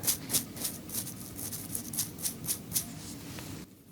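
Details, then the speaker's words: RC center differential bearing that keeps eating sand, spun by hand near the mic: a scratchy, sandy hiss swelling about four times a second, not as smooth as before; sand is still inside the bearing. "it I mean it's not horrible but it's definitely not it's not as smooth as it was"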